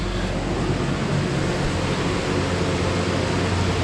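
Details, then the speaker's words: 2005 Ford Ranger 2.3 first start after valve cover and intake gasket replacement and new spark plug wires: steady even idle under smooth low rumble, no knocks, ticks or misses, no check engine light. "Oh, it started. Hey, look at that, no check engine light on either."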